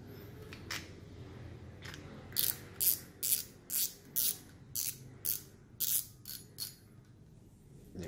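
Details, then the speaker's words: Used BRS reel with magnesium gears, about 200 g, waterproof rubber seal, cranked in turns: short bursts of fine, even clicking with no grinding or catching; no odd noises, reel works like original. "Để mình ngược cho anh em xem. Đó, không nghe tiếng động lạ luôn. Máy hoạt động zin."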